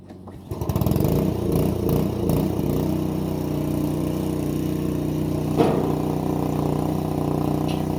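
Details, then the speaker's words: Bobcat 440B skid loader temporarily fitted with a small Honda pressure-washer engine, which runs only at full throttle or off. It catches after a second and settles into a steady, even drone at a fixed high speed with no misses; normal full-throttle running. "it is a pressure washer engine, so it just runs full throttle or nothing."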